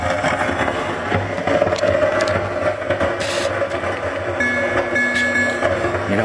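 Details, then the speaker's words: 1980 Williams Scorpion pinball, volume turned fully down: game tones with low hum and crackles persist. Original sound board faulty; a bad amp is suspected. "the sounds turned all the way down now you can see it sitting right there and see we still hear some crackling yep"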